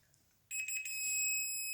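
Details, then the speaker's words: Industrial welding turntable motor, cooked earth conductor: continuity tester gives a steady high tone between motor cable conductors and earth; short to ground, cable or motor fault not yet determined. "so yeah that's our first one and we're short to grand next one okay that that's good oh wait sorry also short to ground"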